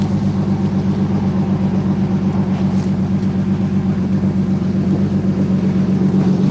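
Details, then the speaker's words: BMW E85 Z4 Roadster, just started: low idle with regular pulsing beat about four per second, slightly uneven and lumpy; rough misfire at idle expected to clear up. "Sounds like she got a little bit of a rough misfire for a second. Give it a second and it'll she'll clear up. [Music] It does sound like we got a little bit of a misfire."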